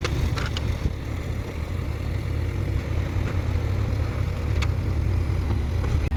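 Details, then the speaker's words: 2010 BMW X6M (E71) V8 at about 239,951 km with engine warning light on: deep, lumpy, uneven idle with engine shaking, a misfire traced to a failing high-pressure fuel pump. "저는 엔딩 경고등만 된게 아니라 엔진 부조 증상이 같이 있었어요 이제 부조가 뭐냐면 엔진이 떨리는 증상"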